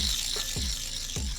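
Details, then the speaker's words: Auxiliary belt tensioner removed and spun by hand: a gritty, rattling whirr with dull knocks about twice a second from a worn bearing, plus some play in the joints; being replaced. "And although it's got a bit of play in it there in those joints, I think the biggest issue is probably the bearing."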